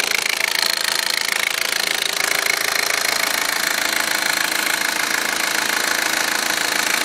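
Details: Audi A4 1.8T petrol engine idling hot after 3.5-4 hours driving with low oil pressure light on whole trip: fast even metallic clicking, about two a second, over bright hiss; cause unconfirmed.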